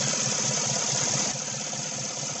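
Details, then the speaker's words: 2016 Chevy Silverado 1500 5.3 V8 with code P0300: uneven idle with a regular stumble of about two to three lopes a second; cylinder 7 still misfires, pointing to a fouled spark plug. "by that time our Cadillac converters are going to be shot it says cylinder number seven still misfiring"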